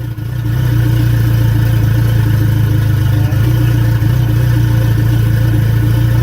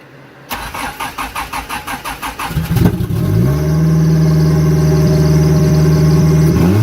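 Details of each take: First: Mitsubishi 4G63 turbo engine at smooth idle after cam gear timing was re-adjusted 3 degrees: steady even idle with no stumble, much smoother than before, with hesitation reduced. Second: Turbo Mitsubishi 4G63, intake and exhaust cam gears both moved 3 degrees: cranks, catches, climbs and holds about 3,500 rpm after a throttle blip instead of settling; idle hanging high, cause not confirmed.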